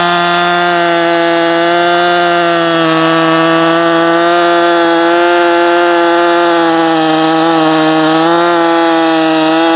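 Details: New Husqvarna 562XP Mark II chainsaw, first-ever run, cutting a log: high steady scream dips slightly in the cut and recovers cleanly; normal cutting under load, found its tune quickly.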